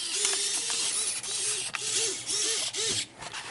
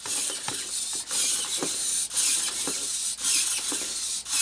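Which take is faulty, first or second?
first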